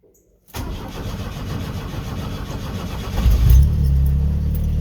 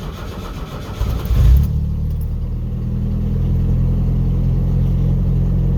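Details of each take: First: Pickup after reconnecting MAP sensor differently, previously idling rough with a code: fires almost instantly without pressing the gas, then steady even low idle with no stumbling. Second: Pickup truck cold start about five hours later, after reconnecting the MAP sensor to the correct port, without pressing the gas pedal: cranks over a second before catching, then settles into a steady, even low idle; slow to start but smoother.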